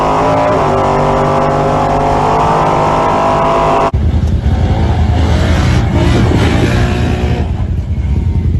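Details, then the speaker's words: Car with a 4L80E transmission that has no forward or reverse gears despite correct fluid level, at idle: a steady high-pitched whine from the transmission that does not change; owner suspects the pump rather than a clogged filter, unconfirmed. "A lot of a lot of people saying, "Oh yeah, the filter is clogged." But it sounds like it's pumps to me."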